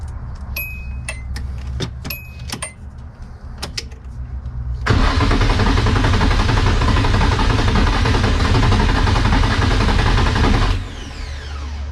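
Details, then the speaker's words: Nissan 240SX during hood mod and water temp gauge install: steady starter cranking about four beats a second, then a louder stretch trying to catch but never running; crank no-start. "it kinda wanted to start it's trying you guys can hear it it wants to it wants to start so i guess since the car didn't start we can go back to our regular scheduled programming"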